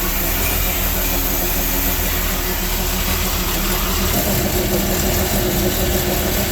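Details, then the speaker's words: Sea Ray boat's Mercruiser Chevy 350 5.7 L 260 hp marine V8 after checking a power steering leak (cooler not leaking): deep, even, quiet burble at idle with no misses, knocks or ticks; healthy. "we get to fire up this 350 with 260 horses of Fury and listen to it sing listen to how quiet that engine is"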